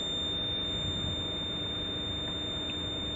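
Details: 1999 Lexus GS300, 257,000 miles, parked with ignition on: a thin, high, incessant electronic warning beep with warning lights and no brake assist. Brake system alarm from an ABS fault; ABS modulator assembly later replaced.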